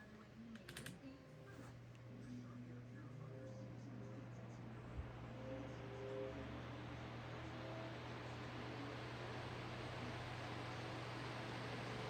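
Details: Lasko high velocity fan, microphone right up on it, starting on low speed: steady low hum then air rush building smoothly over several seconds; normal motor startup whine.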